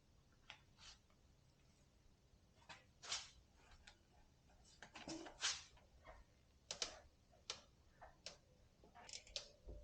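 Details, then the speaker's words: Orbea Rise mountain bike, about 200 miles: sharp irregular creaks and ticks as frame is pushed and pulled, from the over-torqued driver-side top linkage/frame bearing binding; fixed by releasing linkage pressure. "you know what i think it's on this side yep now i'm really pulling and pushing harder just to make that sound okay at least i know where it's coming from"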